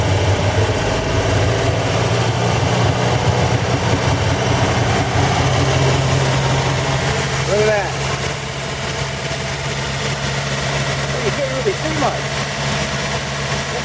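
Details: 1940 Buick straight eight on its first start in 30 years after a valve job, restarted with the valve cover back on: fast, steady idle with an even low rumble and no knocking, running higher than it should. It smokes as oil burns off the manifold, and the owner adjusts the idle.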